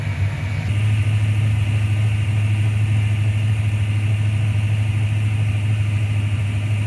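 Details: 1995 Ford Mustang GT, Ford 302 V8, after swapping in a new manifold, rebuilt carb, fuel pump and gas tank; a loose plug was found and timing set. Deep, steady, even V8 idle with no misfire or stumble, firing on all 8 cylinders.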